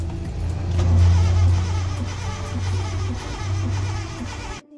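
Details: Honda Civic VTi (Dimension) that stalled on the NLEX and was towed, no error codes on scan, owner reports backfiring: the starter grinds the engine over steadily for about four seconds but it never catches; cause unconfirmed.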